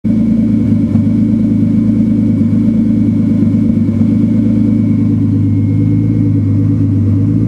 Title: Turbo 328 misfiring at idle. Super confused!